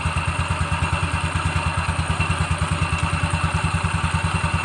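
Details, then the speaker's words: Carbureted Yamaha Xeon automatic scooter idling after full service and cleaning for sluggish acceleration; previously the drive belt was worn, cracked and contaminated with grease and oil. Even single-cylinder thumping about three per second, steady, no rattle: normal idle, better than before. "Oke, motor sudah hidup ya. Sudah normal guys ya, bagus ya. Oke. Mantap guys ya, sudah dia lebih baik daripada yang sebelumnya."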